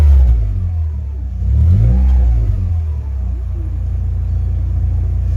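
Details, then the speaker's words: VW Polo 6N petrol, just after a fuel filter change, with the fuse back in and the battery reconnected: engine catches, revs up cleanly and settles back to an even idle with no misfire or stumble; healthy. "Battery's reconnected, obviously that's fine. Fired it up."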